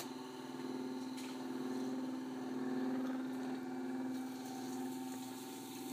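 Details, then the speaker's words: Century 1/4 hp 6-pole repulsion-start induction single-phase motor, 110/220 V, 1165 rpm, original untouched condition: quiet steady even hum, no knocks, rattles or scraping; runs smoothly. "let's see if you can hear it start up but sounds pretty dang good"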